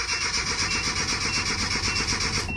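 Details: Nissan Hardbody Z24 8-plug pickup whose fuel pump was replaced a week earlier, with fuel reportedly not reaching the top. The starter cranks at about nine beats a second but never catches. It fires with carburetor cleaner, so crank no start from fuel starvation.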